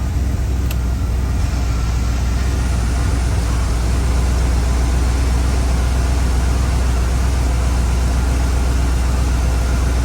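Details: 1994 Mustang GT 5.0 after installing an idle air controller with restrictor plate to cure rev hang; idle around 850–900 rpm with power steering, lights, high beams, AC and radio on, a deep steady rumble with no hunting or stalling: normal idle under accessory load.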